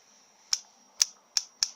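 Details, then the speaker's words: VL Holden Commodore Jatco 4N71B automatic, replacement secondhand overdrive solenoid (about 19.3 ohms) bench-powered at 11.1 V: four crisp sharp snaps as it pulls in firmly, unlike the old one that applied weakly and slid back slowly. "that's snapping snapping through a lot better don't know if you can see that they even hear it snapping through"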